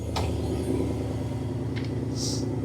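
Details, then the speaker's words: GM 6.0 V8 from a donor Sierra, set for a 1955 Chevy 3100 pickup, at steady idle with about 40 psi oil pressure and alternator unhooked: smooth, quiet, even rumble with no knocks or misses despite an exhaust manifold leak from missing bolts; normal idle. "And even with the exhaust manifold leak that this truck currently has, because we're missing like 30% of the bolts, it sounds really, really good. It's actually nice and quiet."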